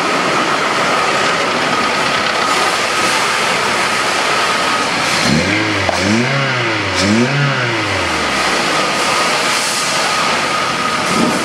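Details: Toyota Avanza after engine overhaul (oil flushed) for overheating with coolant mixing into the oil: steady idle, then three quick clean revs rising and falling smoothly with no knocks or rattles; engine sounds healthy.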